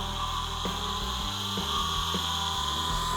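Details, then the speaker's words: Salvaged forklift electric motor for a dune buggy build, previously seized, run free on about 6 V: steady high siren-like whine over a rough internal grinding rasp; abnormal grinding and whining, cause not yet found. "This motor sounds more like a siren or something. It's really grinding. It's whining. Electric motors are typically silent, and this one sounds like something terrible."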